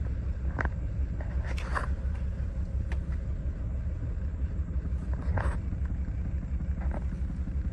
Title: 2020 Mercedes-Benz Sprinter Rough Idle after start